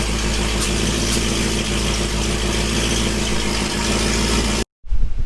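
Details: Dodge Hellcat V8 after head work with new head bolts and MAP sensors swapped: deep, even idle with a steady low rumble and no hunting or surging. The engine has settled and runs smoothly.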